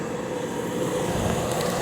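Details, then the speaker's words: Portable air conditioner, thought to have a rotary compressor, running on full blast and blowing ice cold: steady, even mid-pitched compressor hum over fan rush, no knocks or rattles; normal compressor running. "oh man this thing was kicking out ice cold ice machine oh my goodness gracious are you kidding me"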